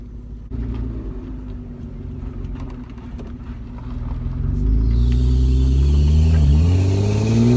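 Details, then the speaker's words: Car with exhaust taken off and dumping before the planned straight pipe: deep raw idle rumble swelling into a loud unmuffled roar as revs climb; open exhaust. "Alright, so I got the exhaust off. My plans is to cut it like right here and then straight pipe on out."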